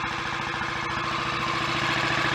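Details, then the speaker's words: Royal Enfield Bullet 500 Electra X (AVL) after idle adjustment; clutch and possibly gearbox still need work: steady, even big-single thump with evenly spaced pulses, no knocks or ticks; mechanically healthy idle. "Well, it sounds good mechanically, but that won't really tell us how it's going to go on the road."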